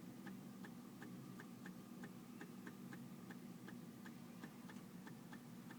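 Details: 2004 BMW 325Ci no start: fast, even light ticking about three per second over a faint low hum; cause uncertain, not confirmed.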